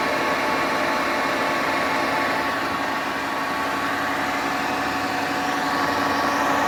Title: Horrible Grinding Noises From Hotpoint Washer